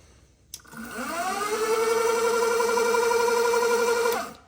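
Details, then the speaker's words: Option-O Lagom 01 coffee grinder after timing belt teeth lubricated and belt refitted to quieten it: motor spins up within a second to a clean, even tone with no belt chatter or squeal; smooth, quiet running. "and that is basically what you do to make your grinder go super quiet"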